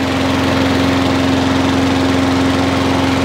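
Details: Wolf 21-inch lawnmower, warm after 3–4 minutes running, restarted after primer bulb suspected as fault; picks up straight away and settles into a steady, even idle with smooth hum, no hunting; normal idle.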